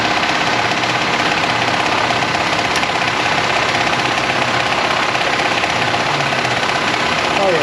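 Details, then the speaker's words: 1993 vehicle with 274,987 miles: a faint, uneven rapid rattle over a steady roar at startup. Customer suspects the timing belt, and the mechanic listening at the engine block says it sounds like it comes from the timing; engine noise at startup. "they're complaining about a noise on the engine when they start it up and they think it's a timing belt"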